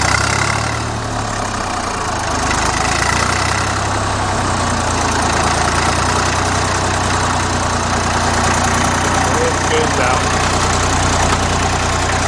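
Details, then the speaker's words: Old Dexta three-cylinder diesel tractor, about 1950–51, started with a cold start: slow steady diesel chug at about 400 rpm idle, even firing with no knocks or misses; normal idle. "This thing runs at probably about 400 RPMs."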